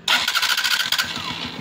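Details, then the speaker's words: Honda TMX Alpha 125 motorcycle after its noisy, grinding starter motor, with a failed bearing inside, was replaced with a good surplus unit; short, clean whir, then the engine catches and runs evenly with no grinding or clatter: normal electric start. "Try natin kung maririnig pa natin yung maingay kagaya kanina. Yun no. Wala nang mandar."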